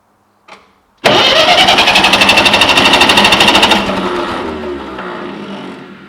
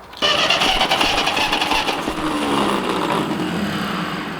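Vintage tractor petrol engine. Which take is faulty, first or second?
first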